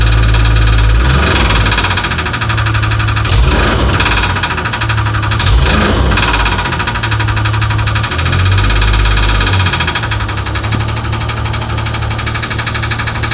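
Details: 1994 Grand (4.0 litre) engine running: sharp internal knocking about three per second over the engine; cause not determined.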